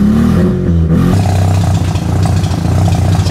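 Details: Mazda RX8 rotary engine with exhaust disconnected because catalytic converter was glowing red; revs up roughly with loud low drone broken by uneven sputtering, misfiring; checked with timing light.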